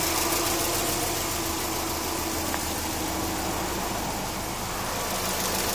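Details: Subaru EJ20K petrol engine idling smoothly with a light, fairly quick tick on top; cause unidentified, owner wonders about piston slap, timing belt tensioner, AC or lifters.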